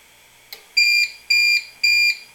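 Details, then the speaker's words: APC Back-UPS 650 bench test with adjustable input voltage: raised past about 128 V AC from 123.7 V, it switches to battery for too-high input voltage. Four shrill, evenly spaced beeps about every half second sound the on-battery alarm. "now it's switched to battery power because the incoming power was too high voltage"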